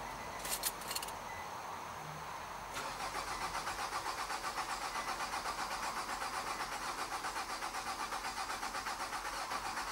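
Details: 2006 Nissan Altima 2.5S, 170k miles, during fuel pump diagnosis and replacement after the car died in an intersection: it cranks briefly, catches, and settles into an even idle pulse of about 2.5 beats per second. Healthy start.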